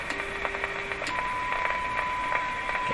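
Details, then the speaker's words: Philco 38-C7 tube radio after IF transformer alignment, fed a weak test signal: a faint steady tone heard clearly through light crackle and hiss; the radio is responding well even at low signal. "so this is a low signal, and you can still hear it. The radio's working quite well."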